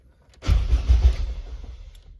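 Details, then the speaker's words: Honda K20Z1 engine swapped into an Eclipse, starter just wired, fuel line not yet connected: about a second of brisk even cranking with low chugs that never catch, normal starter cranking. "Other than that, oh yeah, I wired up the starter, so"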